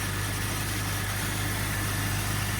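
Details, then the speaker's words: 2004 Jeep Grand Cherokee 4.0, idle under the open hood right after a throttle position sensor swap: steady droning idle with a constant loud high whine from a failing power steering pump; a muffler leak is also present. "my power steering pump sounds like it's about to explode"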